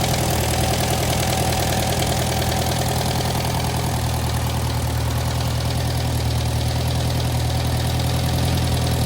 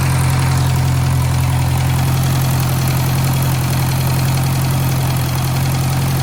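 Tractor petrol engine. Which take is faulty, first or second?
second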